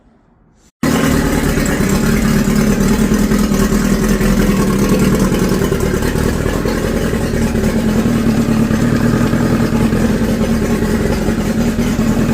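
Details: Outboard motor after replacing the gray fuel hose, whose collapsed inner lining was blocking fuel, with black hose. It barely ran before and now catches and runs a steady, even buzzing drone with no stumbling or surging. Normal running.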